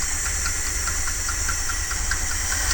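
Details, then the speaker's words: 1978 Dodge Tran V8 at idle after rewiring the firing order: fast, regular puffing tick over the exhaust note; owner hears exhaust noise, suspects a rattling pin and wants to change the carburetor and check timing. "i think this side needs to be changed now i can hear some exhaust noise and i think that pins rattling"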